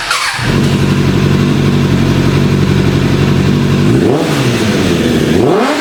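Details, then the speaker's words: Suzuki GSF600 Bandit after 14 years sitting, with carburetors cleaned, wiring fixed and a homemade airbox filter: crisp, even inline-four picks up cleanly on two blips and settles back smoothly, though still slightly fluttery. "man that Su sounds good she sounds nice and crispy so making an air filter for the airbox and hooking all that back up helped it out helped out a lot"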